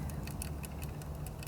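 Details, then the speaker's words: Renault Zoe drive motor with brushes and rotor heat-damaged, rotor turned slowly by hand with a strap (7.5 size): light, uneven ticking about six a second from a worn end bearing; bearing wear suspected of overheating the shaft on a long journey. "So I've got my strap on. Just apply my standard size 7.5, and there is a bit of noise there. You can hear that sort of ticking noise."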